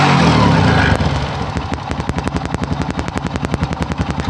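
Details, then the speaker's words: Honda Supra motorcycle, previously makeshift-repaired carburetor that seemed loose again and caused stalling, replaced with another carburetor; first start untouched, short rev burst then crisp, regular idle pulses; running normally. "kita coba lagi ini langsung yang pertama kali dihidupkan dari pulsanya tadi ya belum diutak-atik"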